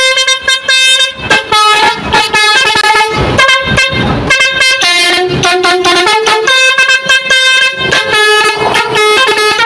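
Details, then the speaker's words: Truck multi-tone trumpet horn (basuri), newly mounted: loud short bursts with a ragged, uneven chord; one switch/valve is dead or burnt out, to be repaired later. "Sekarang saya mau bunyikan cuman ini agak kencang ya karena suitnya gogong satu atau terbakar satu ini saya bunyikan sebentar ya"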